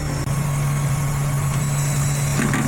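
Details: Same engine with short- and long-term fuel trims normal: smooth steady low idle hum with no hunting or hiss; normal idle.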